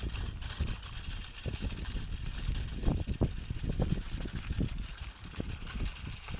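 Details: New unloaded trailer towed behind bike: irregular light metallic rattling over rolling tyre noise, busier over bumps, from loose split pins in the hitch; bungee planned to stop the rattle.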